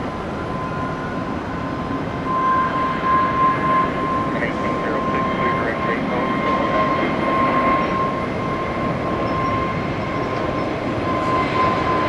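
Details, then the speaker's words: Airliner taking off at Tampa International after a noisy start-up: smooth, steady roar with a clean thin tone, no surging or banging; normal, quiet takeoff. "yeah after all that noise watch how quiet this takeoffs gonna be"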